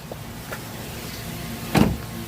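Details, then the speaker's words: 2006 Mazda3 2.0L, in drive with foot on the brake and given gas: a quiet idle, then one dull heavy thud as the engine takes load, from the front passenger side; a broken engine mount, cured by replacement. "i realized it was when i put it in drive foot on the on a brake give it gas i hear clunky noise like this"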